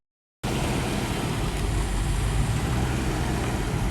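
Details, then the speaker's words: Range Rover Classic LSE soft dash V8 just revived, burning off what was put down the cylinders, timing not yet set: steady low idle rumble with a slightly uneven beat, no tapping or knocking. "but it sounds absolutely incredible Chris give her a little rev up for us mate with your place there's no tapping or knocking"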